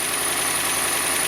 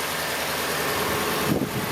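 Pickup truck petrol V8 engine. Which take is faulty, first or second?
first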